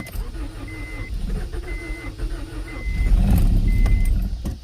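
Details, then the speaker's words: 1992 Acura Integra sitting over five years, with a new distributor and starter. The starter churns steadily and a few cylinders fire briefly before it dies; it cranks but won't start. The owner suspects no fuel pump, or that it's now flooded. "Man, I'm kind of wondering if I just don't have a fuel pump. I'm not hearing it."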